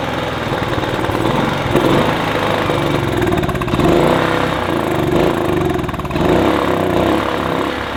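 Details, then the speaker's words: Kipor Sinemaster IG2600 digital generator, stored in a garage for years, running only on starting spray: steady buzzy, slightly wavering note; owner suspects a blockage in the fuel pipe or carburetor, then removes the carb. Cause suspected, not confirmed. "Well, I managed to keep that running long enough for me to realize, well, determine at the very least that it runs nicely. We've obviously got a bit of a blockage on the pipe or in the carburetor."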